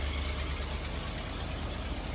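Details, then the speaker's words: Ford Explorer idling with A/C now working after cluster as-built data reprogrammed: fast raspy ticking puff over the rumble from a bad exhaust leak. "Major exhaust leak. And sure enough, the AC came right on. Man, that's a bad exhaust leak."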